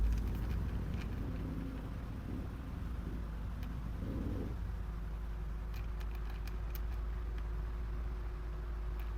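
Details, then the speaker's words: Electric fan that still oscillates hums steadily with scattered light clicks from the rear gearbox; worn oscillation worm gear suspected, to be replaced. "Kaya lang meron kayong maririnig na parang may tumutunog dito sa likod nitong electric fan."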